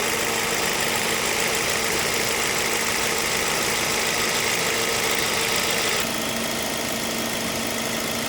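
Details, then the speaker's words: Ford Focus, 93,905 km, 10 years old, AC not cold with o-ring and compressor oil leaks at the compressor; at idle with AC on, constant hiss and droning hum over radiator fan; noisy compressor, refrigerant top-up planned. "คันนี้คอมแอร์มีเสียงดังนะครับเดี๋ยวจะได้ลองเติมน้ำยาเพิ่ม"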